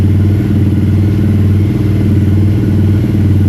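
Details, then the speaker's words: 2022 Honda CRF300LA after replacing the shifter spindle that stopped it shifting past second gear: engine running while shifting from neutral up through sixth gear. Steady, even beat with no grinding or harsh clunks; gearbox healthy after the repair. "so we're in first gear second gear third gear fourth gear fifth gear sixth"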